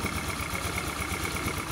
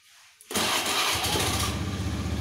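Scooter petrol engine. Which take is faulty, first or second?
second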